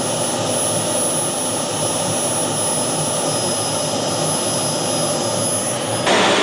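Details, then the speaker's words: Boomerang Atom / FTL Lancer RC jet turbine, engine run on a new fuel system with vectored thrust: steady high-pitched roar holding an even tone, no surging or sputter; smooth, good throttle band, lots of power. "Engine runs great, nice and smooth. Nice throttle band, lots of power when I'm holding on."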